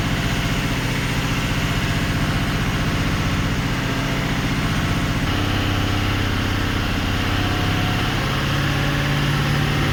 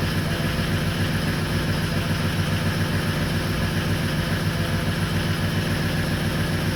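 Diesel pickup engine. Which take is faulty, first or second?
second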